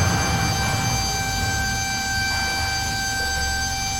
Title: Abnormal sound from air braking system when pressure is full #automobile #fixyourmercedes